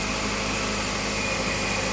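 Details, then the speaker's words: Ford at idle after curing an accessory belt whistle by cleaning a corroded ground wire and making a good ground: steady engine hiss and hum with no chirp or whistle. The belt drive sounds normal. "так работает машина после того как вы устранили неисправность никакого свиста нет все как бы нормально"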